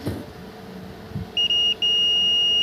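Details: Car ECM (1032K1, Ritz) on the bench, multimeter continuity test; sharp steady beeps each time the probe touches an MCU supply pin, showing two shorts inside the microcontroller. Fix requires removing, reballing, refitting and reflashing the MCU.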